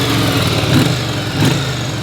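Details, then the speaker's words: Yamaha Virago V-twin, bought non-running, idling warm after a short ride with fuel off draining the carbs: steady, even low thump, no misses; both cylinders firing, healthy idle. "both the smoke has it sounds like it's firing in both cylinders pretty healthy overall it's looking good"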